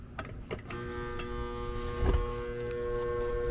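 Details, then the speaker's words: Apartment AC condenser after failed condenser fan motor install: strained, steady hum with buzzy edge after a few rough clunks; one supply leg reads nothing, so the compressor is labouring on a lost leg. "either way though it doesn't sound good at all compressor struggling everything's struggling"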